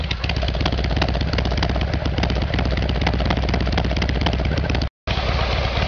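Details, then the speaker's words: Harley Evolution Sportster cold started on choke after fixing a carburetor problem: the V-twin idles steadily with a deep, loping exhaust beat and no misses or stumbles; normal idle. "Okay, well that sounds a lot better."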